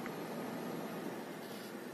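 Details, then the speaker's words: PC cooling fan that had been scraping, after oiling its bearing: quiet, even airflow hiss with no scraping or ticking. Fan runs normally. "класс ну вот как видите все прекрасно работает"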